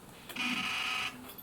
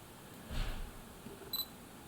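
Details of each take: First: Olympus PEN Mini E-PM2 camera before IBIS repair, IBIS indicator flashing and sensor moving only vertically: harsh high buzz about a second long at switch-on instead of a quiet click; abnormal buzzing at power-on. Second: Olympus PEN Mini E-PM2 camera after IBIS repair, IBIS indicator now steady white, with a lens fitted: two crisp, clean shutter clicks a second and a half apart in a quiet room; normal shutter operation.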